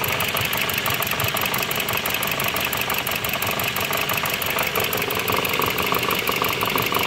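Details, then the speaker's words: Dodge/Jeep 2.4 with replaced engine, computer and harness, leaking much oil, misfire on cylinders 1 and 2: rough idle with hard metallic knock about three times a second and occasional stumble; suspected connecting rod or main bearing knock. "aparte se escuchaba el motor que golpetea muy feo como en una biela o en la bancada"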